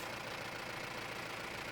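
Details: Mahindra Roxor diesel with Dirt Legal intake retaining bracket fitted against overboost turbo leaks: even, steady idle with a soft airy hiss, no whistle or puffing suggesting a boost leak.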